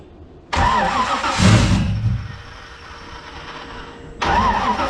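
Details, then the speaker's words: Car with rear radiator and new wideband, fresh spark plugs: starter spins in uneven bursts with pauses, never catches; no-start. "unfortunately bad day today car won't start again change the plugs and nothing"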